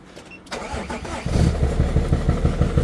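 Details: BMW 330d, M57 diesel, failed again two years after last failure: cranks and catches, then lumpy uneven thump about three beats per second, down on a couple of cylinders with heavy blow-by and starting to run away; turbo failure suspected, melted pistons.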